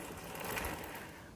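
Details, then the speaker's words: YCF pit bike pre-ride check: hand-spun rear wheel coasts with light quick chain ticking, no crunch or grind; noise is the chain, rear wheel bearings healthy, no side play. "on contrôle aussi la roue arrière au niveau des roulements donc là le bruit qu'on entend c'est la chaîne c'est pas le roulement"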